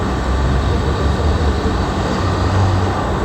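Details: GMC (2019) after a P0300 multi-cylinder misfire code: steady, even low engine rumble with no stumble; live data shows zero misfires on any cylinder, even when revved, so the misfire is gone.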